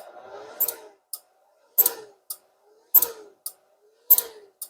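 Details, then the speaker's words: Vonder inverter welding machine: relay clacks on and off about once a second endlessly because its 12 V supply oscillates between about 12–13 V and dips, not staying constant. "Então ela está oscilando a tensão, é a razão do relé ficar abrindo e fechando o tempo todo, né? Porque a tensão não fica constante."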